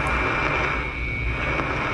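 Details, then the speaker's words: Beverage-Air chest beer cooler running warm, low on refrigerant: leak detector gives a steady sharp hiss, strong at the top and weak at the bottom; refrigerant leak at top of evaporator, new evaporator likely needed, recharged for now. "obviously you can hear the difference right there what leek is at the top you hear it at the bottom not very strong without me is there at the top"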